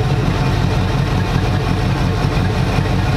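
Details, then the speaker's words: Engine with newly installed MSD ignition, timing around 11.5 degrees, magnetic pickup wire repaired, after distributor adjustment: low lumpy idle with occasional uneven exhaust beats; still breaking up, intermittent miss, cause not found. "Definitely got that wire fixed, and we'll see if that was the problem. It's better overall, but it's still breaking up a lot."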